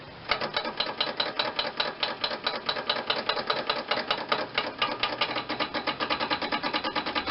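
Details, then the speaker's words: John Deere 318 lawn tractor with an Onan twin engine, first start attempt after many years sitting. Rapid, even clicking about seven times a second with no cranking; the owner suspects solenoid contacts rusted from sitting, and tapping the starter did not help. "try to get in here on the solenoid probably the contacts are rusty from sitting"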